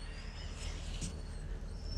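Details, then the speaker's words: Dodge Durango, V6 or V8, about 60,000–64,000 miles, rolling at low speed: thin high squeak wavering over low road rumble; owner suspects brakes, possibly bearings; brake pad wear indicator squeal. "oh y'all hear that guys oh that sounds like brakes it can't be bearings well it can be bearing because i'm rolling hello"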